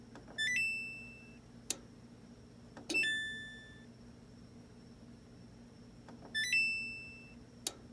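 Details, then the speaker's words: Samsung electric dryer: the panel chimes when start is pressed, then one sharp click and nothing spins up. It sounds like the board relay, but the thermal cutoff on the blower housing is suspected. "it sounds almost like the relay on the board but i think it's a thermal cut off which is located on the blower housing"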